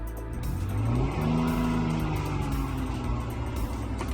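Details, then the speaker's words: 2007 Chrysler 300 after replacing both short runner valves and clearing codes for an emissions failure: smooth, even engine note rising and settling with revs, no knock or miss, music behind; no powertrain codes return; normal running. "so it's successfully cleared so we already cranked it up we got the car running you hear the engine"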